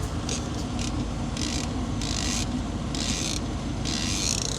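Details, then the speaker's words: Kenworth C500 truck cab: repeated high, scratchy creaks over a low truck rumble from the steering wheel, a slightly dry steering column bearing. "That's the steering wheel. It's just a little dry. Not a biggie."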